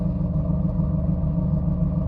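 Low, lumpy V8 idle with an uneven beat and loudness that keeps stumbling instead of running smooth; that's a misfire, cause not yet known.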